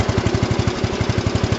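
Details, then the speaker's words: 1982 8163-B tractor on its first drive after a hub change, with snowplow fitted: steady even engine thump with no clunks or chatter; clutches much quieter now that the reverse flex problem is fixed. "the clutches are a lot quieter on it now that reverse flex was all the problem"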